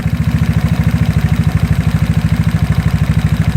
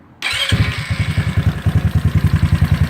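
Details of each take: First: GY6 scooter engine with a PWK carburettor and fuel nearly empty: idle screw turned counterclockwise sets the idle too low, giving a slow, lumpy, vibrating idle with a heavy pulse about three times a second. Rough idle from idle speed set too low. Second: GY6 scooter engine with a PWK carburettor, idle mixture screw set back to one and a half turns and idle screw turned clockwise: starts straight up and settles into a steady, even putt-putt about three beats a second. It sounds smoother, a normal idle.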